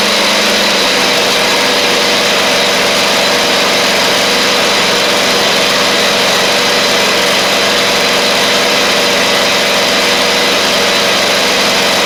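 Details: Husqvarna GTH2654 (Craftsman GT5000 type) lawn tractor twin, first run after gas tank setup, previously running on one cylinder: steady high-pitched drone at even speed, no stumble or missing beat; both cylinders firing, exhaust smoking off built-up gunk.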